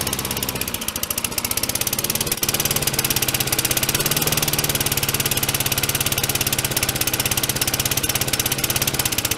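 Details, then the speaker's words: Mower stuck at harsh, uneven, high-revving full throttle that never drops to idle. "Well, the John Deere is running much better now. The throttle cable spring evidently was caught underneath this"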